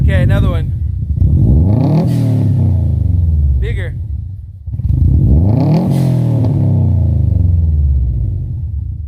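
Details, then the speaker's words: Stock, untuned Subaru WRX/STI, after fitting a Tial blow-off valve in place of the bypass valve: two sharp rev sweeps, each ending in loud pops and bangs on throttle close. Running rich, fuel smell; needs a tune for a blow-off valve. "yeah that was crazy it sounded great the pops the bangs not good for the engine though"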